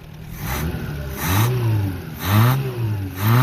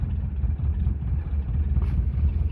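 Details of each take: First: Renault 5 (LeCar) running for the first time after new points, charged battery and ignition work, recorded outdoors in snow and gusting wind; small four-cylinder revs up and settles back cleanly with no misses or knocks. Normal running and revving. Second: 1977 Renault LeCar (R5), cold start with fresh battery and new points, needing a little choke: low, lumpy, uneven idle with no steady beat; engine idling rough, belts not spinning properly, car also needs a clutch.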